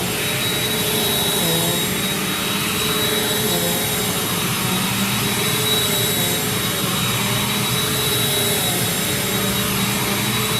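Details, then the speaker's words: Curbside-found Bissell PowerForce Compact Turbo vacuum, smelling of wet dog, first power-on: steady even motor whine with airflow rush, no rattles or pitch wobble; runs normally so far. "Okay. Okay, so it didn't blow up. It sounds normal so far."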